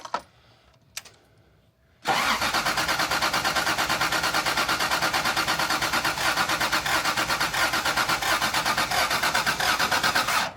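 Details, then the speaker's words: Rally Toyota Supra, distributor just loosened and rotated: starter cranks at about one and a half even pulses a second for eight seconds without firing; crank-no-start. "Something is wrong. What could be wrong?"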